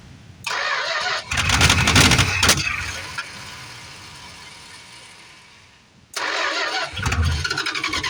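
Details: 1973 Plymouth Fury III with 360 V8 just installed after car sat engine-less 7 years: cranks, catches and sputters, falls away, refires roughly; spitting, owner suspects carb issues.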